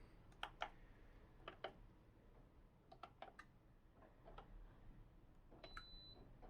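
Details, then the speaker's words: SMEG drip coffee machine that powers on and shows the time but won't brew, water added: irregular sharp relay clicks inside as it tries to switch on the heater, but nothing heats; possibly a blown thermal fuse or a faulty heating element. "I can hear something clicking inside. I think it's trying to turn the heater on, but it doesn't do that."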